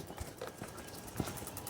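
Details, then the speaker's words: Nissan 300ZX with KA24DE swap and Link Fury ECU, injector test from ECU software on Radium fuel rail with Injector Dynamics injectors, engine not running: crisp, even, separate ticks with fuel heard flowing; injectors clicking normally, fuel pressure about 28 PSI, too low. "yeah they're clicking it's crazy that this doesn't Leak with all these movements you hear it flowing through there though"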